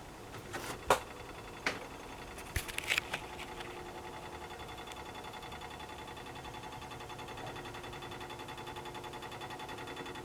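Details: Hot water tank heating up: a few sharp clicks, then a fast, steady buzzing rattle; cause not yet found.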